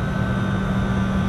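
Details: Reach-in freezer on 208 V three-phase, first start after a bad circuit breaker and shorted drain line heater were found, units turned on one at a time: even steady hum with constant low tone and faint higher whine, no rattles; condensing unit starts normally.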